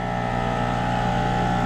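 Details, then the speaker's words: Mobile home AC condensing unit: scroll compressor runs with a steady, even hum but draws only 2.9 amps and pumps nothing, even with gauges valved off; internal mechanical failure with the shaft/scroll, compressor cooked. "I'm pulling 2.9 amps. It is not pumping anything. That's why we have a low amp draw. Something is terribly wrong."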